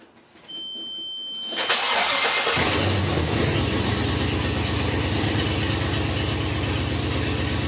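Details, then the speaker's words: 1997 Lexus LX450 LS-swapped: cranks and catches, then loud raw idle through open headers with uneven lumpy exhaust beat, running on 7 cylinders; eighth injector dead (measures about 500 ohms), replacement used injectors planned. "It's really loud. It sounds like an open header LS on 7 cylinders. That's what it is."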